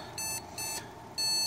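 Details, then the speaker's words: ASUS Sabertooth Z77 motherboard with no RAM sticks or graphics card installed: one long and two short high beeps, repeating. This is the no-memory-detected POST code, a baseline test. "that's the error for the memory sticks because there aren't any inserted right now to make sense"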